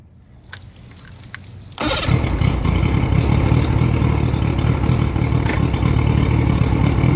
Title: 1987 mariner 75hp making weird noise